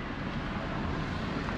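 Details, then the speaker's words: Toyota Prius after steering column reassembly, driven over parking-lot bumps: low, even road and wind rumble in the cabin with no clicks, knocks or rattles; the steering knock in the dash is fixed. "Nice and quiet, like not one click, rattle, bang, pop, shimmy, nada."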